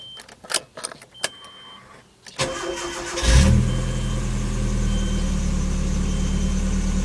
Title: 1996 nissan pickup rough idle